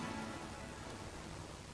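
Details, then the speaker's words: Leak-down test on the Briggs & Stratton engine of a Craftsman ride-on mower that smokes heavily; a steady rushing hiss of air escapes with near 100% cylinder leakage, and the cause was a blown head gasket. "It's pretty much 100% leakage, isn't it? Alright, so where's that noise coming from?"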